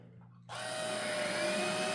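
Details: Roomie Tec (Roomie Vac Elite) cordless vacuum after repairing flickering power-head wires and flipping the reversed plug: switches on abruptly, spins up to a steady, even whir; power head running normally. Cracked tube not yet taped.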